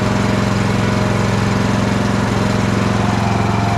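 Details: Craftsman LT1000 riding mower after blade deck belt replacement (AYP 144959), strong steady single-cylinder thump at constant speed, no misses, knocks or belt squeal; runs healthy.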